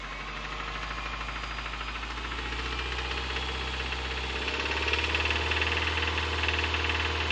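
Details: 2005 Subaru Impreza 2.5RS flat-four, 100k miles, revved: sharp, regular knocking about four per second that speeds up with revs and stays loud; teardown showed a bad #1 rod bearing, and the engine was replaced with a used one.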